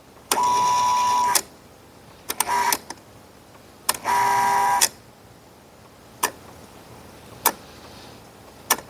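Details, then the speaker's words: 115 V Kustodian Plus lane machine squeegee motor run from the test output menu for an up/down switch error: short uneven bursts of whine cutting out and restarting. The motor is starved of voltage; a failing PLC relay is suspected. "So the motor's trying to run, but we're not getting a good source of voltage to it."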